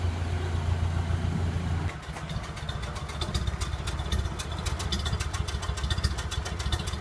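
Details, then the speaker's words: Early 1928 Ford Model A Tudor after installing a new Aries muffler exhaust, fully warm after a drive: low, even idle putter with steady exhaust pulses, no hiss or ticking from leaks; normal idle. "I took it out for a ride. Got it all nice and warmed up. And boy, she's idling down nice now."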